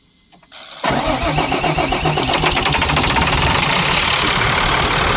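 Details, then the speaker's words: About 2004 International 4400 with a DT466 diesel, 421,000 miles, sat over winter. After the fuel bowl was flushed and refilled, the restart is a short crank then a harsh, ragged, knocking start settling into a clattering idle; owner thinks it needs more and better fuel. "See that? That terrible start. We're going have to get some more fuel in this thing."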